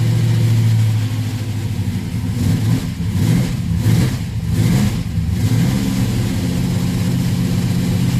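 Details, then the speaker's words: 1967 Plymouth Belvedere 440 big block with a Mopar Performance purple solid flat-tappet cam, first run after valve adjustment (exhaust had been sloppy) and fresh oil and filter; deep even V8 rumble, clean throttle blips, no valvetrain ticking; healthy. "So, all wet together, fresh oil, fresh filter, jump in it. First fire up since doing the work."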